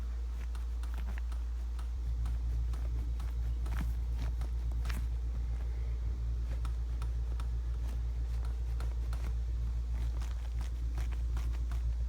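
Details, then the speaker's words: 2019 Ford Mustang passenger seat, after sitting in the garage overnight, gives sharp uneven clicks when pushed straight down, over a low hum. The seat track is not the cause, and the noise disappears as the seat moves forward. "yeah the problem is not the track i'm pushing straight down on the seat"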